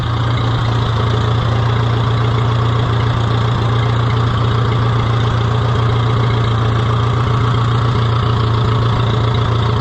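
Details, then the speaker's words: Oliver 66 tractor revived and running again: low, heavy idle at about three beats a second with slightly uneven firing; rough idle, owner suspects the carburetor needs cleaning. "well let's hear it run one more time I think my carburetor needs a little cleaning it's not quite quite right"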